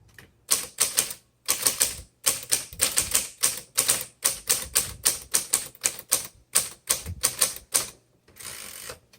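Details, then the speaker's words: 1962 Olympia SM5 manual typewriter, well-loved but mechanically very sound: crisp, even keystrikes in quick bursts about three per second, clean without dragging or double strikes; amazing typing action, normal. "I'm not gonna mark the price down too much because the typing action on this is amazing."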